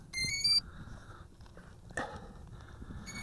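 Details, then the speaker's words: Bayangtoys X21 dual-GPS quadcopter at startup: short, high electronic beeps in quick bursts warning that its power switch is still off. "and hear that beeping like I mentioned that means our onoff switch is off"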